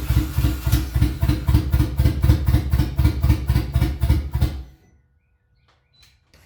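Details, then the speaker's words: Boosted Honda Civic with OBD2 distributor internals fitted into an OBD1 distributor shell, earlier no spark, check engine light on: uneven chuffing at about four beats a second, catches weakly, then dies after a few seconds. Rough start from weak spark. "All right, so it's somewhat getting spark now. As you saw, it did fire up."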